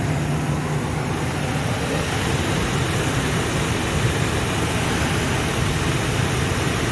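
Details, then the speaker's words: 2000 Ford Excursion, Triton V10, after new spark plugs, ignition coils and a replaced steel line: deep, steady, even idle with no surging or missing and no leaks seen; normal idle, though a valve tapping (lifter or cam follower suspected) is noted. "oh heck yeah that sounds a lot better I don't see anything leaking I don't hear anything out of the ordinary"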